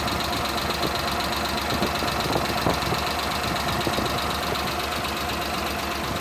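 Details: Suzuki Multicab F6A engine; uneven idle with irregular stumbles and soft pops, random misfire, cylinder not pinned down, cause suspected not confirmed; engine misfire at idle.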